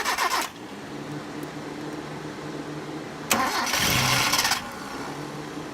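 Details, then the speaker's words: 1989 Mitsubishi Pajero SWB 4WD with newly fitted fan belt needing more tension, started and revved; sharp screech bursts at startup and with each throttle blip, worse once warm, fading at idle; slipping fan belt to be tightened. "there's lawson there he just started her up and uh gave it a few big revs the fan belt is sleeping especially once it warms up it gets really screechy so we'll tighten it up"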